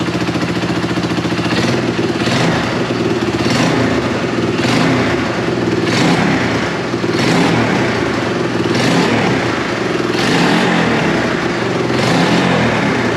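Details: Yamaha YFM225 rebuild, first start: single-cylinder thumps at idle and climbs cleanly in repeated blips, settling back without misses. A slight exhaust leak and some smoke were noted, but there were no oil leaks; it sounds healthy.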